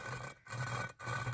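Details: VW 2.0 16v 9A cylinder head valve being hand-lapped with grinding paste: gritty, dry rasping in half-second strokes with pauses; seat still rough, not yet mated.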